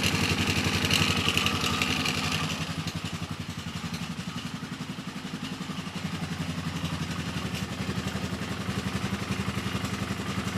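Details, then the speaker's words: Polaris Sportsman 450 ATV with original Mikuni carb replacing junk aftermarket carb, new spark plug, no choke or enricher: steady, even single-cylinder idle with light clatter, which owner suspects is starter clutch rollers. "Runs really good. Like I said, that was no enricher, no nothing."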